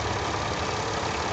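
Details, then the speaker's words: Mercedes M112 engine at idle; busy, uneven, dull metallic rattling knock rather than a ticking tap over the running noise, cause not pinned down; rattling noise at idle. "какой-то непонятный тарахтящий звук."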